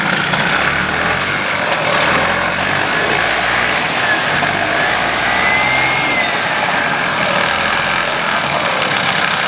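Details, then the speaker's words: 1977 Harley-Davidson golf cart with a 250 two-stroke engine, run after years of sitting, with a broken ground and a forward/reverse selector that sometimes prevents starting: steady, even buzzing run with no misses or surging; holds its speed and sounds healthy. "other than that um she's not bad she runs good"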